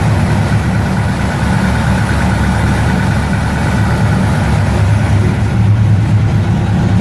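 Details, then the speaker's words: 1969 Ford Mustang, in neutral, first start in about six months: starts without hesitation into a deep, even burble with steady low rumble, no stumble or misfire; idling cleanly. "it doesn't hesitate at all it means they started"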